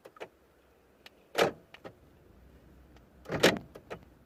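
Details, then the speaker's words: 2008 BMW 320d E90 central locking fault, where three of four doors lock but will not unlock by remote or console button; recorded close to the door: short buzzy actuator bursts at each lock/unlock command a couple of seconds apart, the door staying locked. "the locks actuating inside the doors when I press the lock and unlock."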